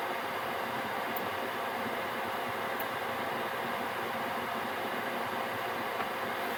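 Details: Gearlasso 8kW 12V/24V Chinese diesel heater in manual gear mode after switch-off: burner and pump stopped, residual oil burning off, steady even rush of cooling fan with no combustion roar or pump ticking, running a couple of minutes before returning to standby; normal fan run-on.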